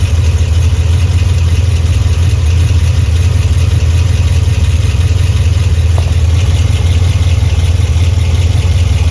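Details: Cammed Pontiac G8 GT V8 with Stainless Works headers, GESI high-flow cats and OEM mid exhaust connection idling with deep choppy lumpy lope, exhaust leak just before the mid muffler.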